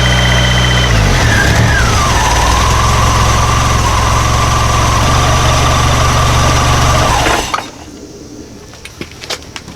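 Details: Model A hot rod coupe with a 2.3 L Ford 4-cylinder and Duraspark II ignition, original ignition box plugged back in: catches on the starter, runs rough for several seconds, then dies. The box is judged good; the ignition switch or the coil feed wiring is suspected.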